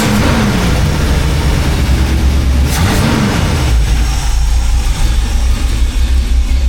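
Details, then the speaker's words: 1985 Chevy C10, cammed, new Holley 4160 600 CFM carb after choke adjustment: about a minute after a cold start, a throttle blip drops it to a steady, even normal idle with hardly any white smoke. "And there it is at a normal idle. Hardly any white smoke. I think we got her in a pretty good spot."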